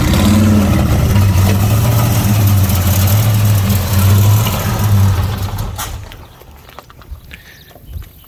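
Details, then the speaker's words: '75 Plymouth Roadrunner V8, after a carburetor fire: loud lumpy running with uneven low pops, falters and dies after about five seconds; backfires and stalls on throttle, intake manifold gasket leaking vacuum. "Every time you touch the gas pedal, it backfires and stalls. We It runs great. Runs really good for like 2 seconds."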